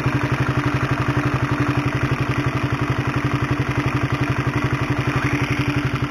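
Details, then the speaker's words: Honda CB150R at idle, recorded with a microphone close to the engine: a fast, even clatter of roughly four ticks a second over the engine hum, from a worn, stretched cam chain due for replacement with a DID chain. "Nah itulah suara dari rantai ketengnya atau rantai tensionernya Bagaimana kaya suara helikopter kan kayu mesin jahit tapi kalau digas kayak supertrees-nya H2 ya haha"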